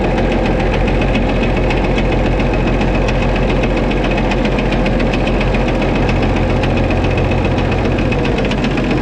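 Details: White 2-155 tractor engine idling after restart, steady hammering knock about four a second with slight stumble; blow-by, exhaust and oil pressure normal, internal engine knock of unknown cause, engine work planned.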